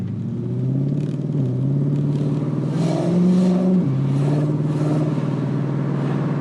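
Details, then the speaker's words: Nissan Q45 V8 at about 60% throttle after hardwiring Audi R8 coil packs and a 3-inch intake reducer: rough ripping flutter on the exhaust note from thin-walled headers without heat shield, not spark breakup; exhaust header flutter. "And then the other sound is the actual exhaust header walls. They're thinner than stock. And they also obviously don't have a heat shield. And that sound, like the air ripping past them, makes this like fluttery, like ripping sound."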